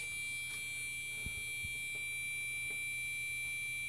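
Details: Gigabyte motherboard in a Core 2 Quad build makes a continuous startup beep. Steady, high-pitched, unbroken beep: a failed startup check, cause suspected, not confirmed.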